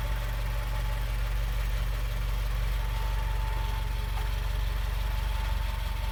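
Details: Subaru WRX at idle: steady low idle with a thin, constant mid-pitched whine that doesn't change; engine-bay whine at idle.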